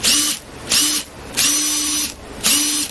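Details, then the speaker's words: Makita DTD146 cordless impact driver before maintenance and hammer-case greasing, still working: four short bursts of high, buzzy hammering rattle, noisier than ideal; cause not pinned down, noisy operation. "Sau đó âm thanh của các hoạt động tổng thể không phải là rất lý tưởng"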